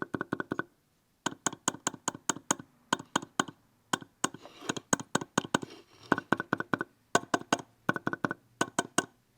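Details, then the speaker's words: Red Bull mini fridge 80x80x38 mm sleeve-bearing cooling fan, hand-spun: louder than the other fan, quick regular clicks in bursts like going over a thump, fading as it slows; worn bearing suspected, both fans to be replaced. "this fan is definitely a lot louder than that one uh and when you spin it you can hear it kind of like click like almost like it's going over a thump"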